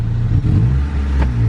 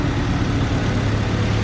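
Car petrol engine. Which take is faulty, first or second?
first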